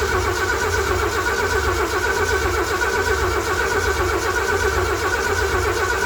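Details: Derelict 1978 Ford F150, new plug wires and rotor, carburetor unprimed: starter churns at a steady even rhythm but never fires; no fuel delivery because the throttle cable isn't connected to the carburetor.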